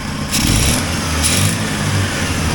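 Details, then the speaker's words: 1980 Triumph TR7 after engine reinstall, timing set with timing light and carburetors set: short crisp throttle blips rise and fall cleanly without hesitation; responsive throttle, though an exhaust leak remains to fix. "throttles very responsive I think I've got it close to right set the timing with a timing light"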